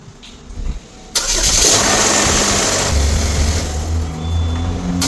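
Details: 2013 GMC Terrain 2.4L after starter replacement: quiet hum, then a short crank catches cleanly and settles into a smooth, steady idle; starter engages and engine fires normally.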